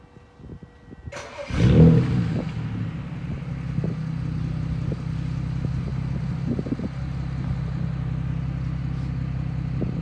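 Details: Petrol car after replacing ignition coils, including cylinder 5, with cylinders 1, 3 and 5 having logged misfire codes: engine starts with a brief rev flare then settles into a steady, even idle, misfire fixed.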